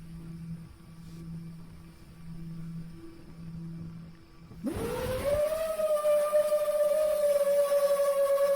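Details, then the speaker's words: 7-inch FPV quadcopter, audio from its DVR recording before a crash: a clear whistle sweeps up with throttle and appears at certain RPM ranges; loose prop thought unlikely; RPM-dependent whistle of unknown cause. "what I'm specifically noticing is that whistling sound comes in at certain RPM ranges"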